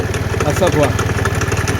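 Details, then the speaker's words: Kymco Agility Renouvo Naked 50cc four-stroke Euro 4 scooter, variator found broken and belt torn; fast idle with uneven rattle and chatter from belt side, play found in bearing: worn variator bearing. "Problème, le roulement. Il y a un jeu ici. Voilà. C'est lui qui fait le problème."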